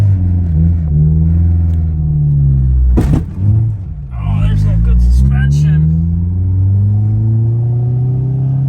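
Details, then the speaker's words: 1996 Civic hatchback on a test drive: deep, booming drone that swells under load from a loud aftermarket exhaust, which is also hitting the frame and vibrating. "yeah that's the exhaust hitting the frame too vibrates pretty good not sure exactly who can drive something that sounds obnoxious but"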